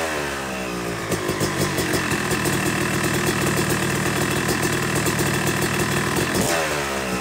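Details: Yamaha YZ250 two-stroke motocross bike (270cc/250cc) after full engine rebuild (bottom end, transmission, bearings, clutch, power valve), second start-up after cooling, warming to about 100–125 degrees: crisp idle, gentle blips rising and settling evenly; normal warm-up idle.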